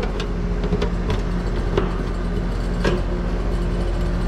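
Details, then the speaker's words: AC condenser with 244 V supply, plugged in to run: a steady low compressor hum with rattles and knocks like rocks in a can. System reads bone dry with no refrigerant. Noisy compressor. "o it sounds like it's bone dry too that compressor does not sound good I don't know if y'all can hear that sounds like rocks in a can this system ain't got no gas in it"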